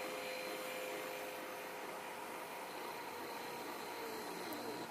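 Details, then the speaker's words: Servo motor outputs driving an H-bridge to run a 5 A motor at full throttle: quiet, steady buzz at the roughly 50 Hz square-wave drive frequency. It stops when all four transistors switch off. Normal, with the transistors staying cold. "quare wave so you can hear it the humming is actually the frequency of the square wave it's receiving which is i believe i measured it's right around 50 hertz"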